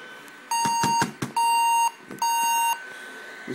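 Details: Averatec 3200 series laptop won't boot; on power-up it gives three long, even high-pitched beeps with short gaps, black screen, orange-red and blue lights on; startup beep error code, cause unknown.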